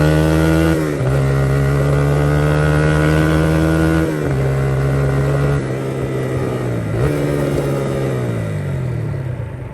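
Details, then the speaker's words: 1982 Honda XR80 fitted with an XR100 engine, restored after a leaking tank and a tank sealer that nearly ruined the engine. It starts right up, with revs rising and falling smoothly and no knocks or misses. Normal running, "runs like a top". "oh well let's see if it starts up sucker starts right up"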